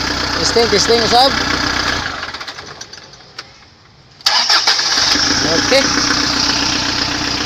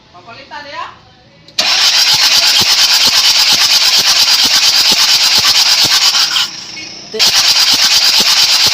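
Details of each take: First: Kia Bongo 3 after a hard-starting problem was solved, with injectors mentioned: engine idles evenly, shuts off, then fires straight back up and settles into a steady, even idle; running healthy. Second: Kia Bongo 3 diesel with hard starting: catches suddenly, then hammers out a loud, harsh, uneven beat with a dropout; faulty injector identified as the cause.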